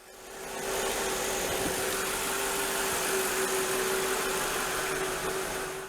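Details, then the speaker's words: Mercedes-Benz S500 W220 V8 at idle after replacing spark plugs and ignition wires: smooth, quiet idle with a faint steady whine, no loud ticking from any spark plug or misfire; running evenly. "everything sounds good don't hear any loud ticking coming from any of the spark plugs so yes everything is great"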